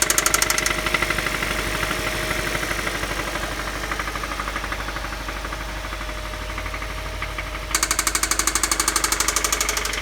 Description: This engine does have spin a rod bearing cylinder 1..